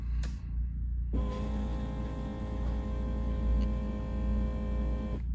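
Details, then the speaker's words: 1965 Ford Galaxie 500 390ci with newly installed Holley Sniper EFI, priming the empty fuel pump with key on, engine not started; steady, even electric hum for about four seconds then cutting off; pump now under load, normal priming. "what you'll notice is first startup you're going to hear your pump make a lot of noise because it's empty"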